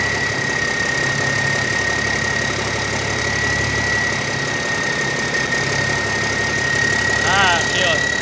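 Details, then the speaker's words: Old double-framed military truck with a newer-style big-cam diesel, earlier suspected of needing an injector: steady, even idle with a smooth low rumble, no knocks or misses; runs well. "Dang, that thing sounds good. Sounds really good, actually."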